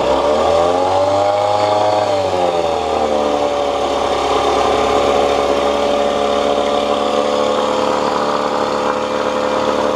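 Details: 1986 Johnson J4BRHCDE 4 hp Seahorse two-stroke outboard after cleaning the water passages and reassembling the head: started first crank with some smoke from extra oil; buzzy note swells then settles to a steady, even fast idle, no misses.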